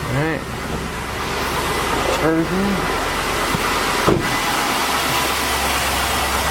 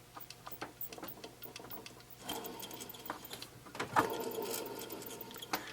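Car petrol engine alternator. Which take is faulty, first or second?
second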